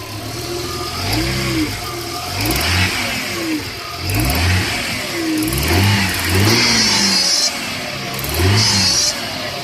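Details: 1996 Audi A6 petrol engine revved up and down: an odd extra noise rises and falls with each rev. The noise is very recent and occurs when accelerating or revving. Cause unidentified.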